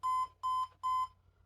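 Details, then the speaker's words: HP ProDesk 600 G3 Mini fitted with a non-T 65 W CPU at power-on: three long, even, mid-pitched beeps, the start of a 3-long, 4-short POST code; a 90 W supply gives the same code. "Okay, that's not sounding good. Well, that's 3 beeps, 3 long followed by 4 short."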